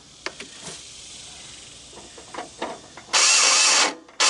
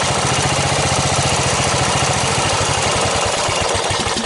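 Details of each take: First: Snapper 38-inch riding mower with oil slightly overfull: three short bursts of high, free starter whirring with no engine turnover, even after tapping the starter with a hammer. The starter spins without cranking the engine; owner suspects the Bendix isn't engaging. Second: Snapper 38-inch scrap riding mower idling; steady, fairly even single-cylinder thump, no knocks or misses; sediment bowl gasket to be checked for a drip, owner says it sounded pretty good. Normal idle.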